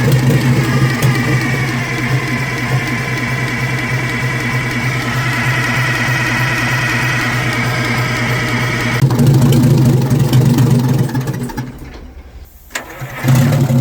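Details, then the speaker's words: Detroit Diesel in a vintage abandoned GMC truck fires and runs unevenly about ten seconds, smoking throughout, then sags and dies; doesn't sound like a Detroit; air-starved because the intake shutoff is stuck closed. "And it just it don't even sound like a Detroit. Like it just I don't understand, man. I don't know what I'm missing, but it just don't sound right. It don't run right. It smokes the whole time."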